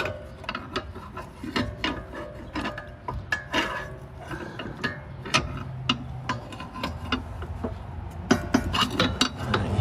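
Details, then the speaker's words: 2006 Ford Mustang GT front suspension: sharp, irregular metallic clunks as the wheel is rocked by hand from a badly worn ball joint on likely original control arms, bushing also torn; both front control arms replaced. "hear that there's your clunking it's coming from that ball joint"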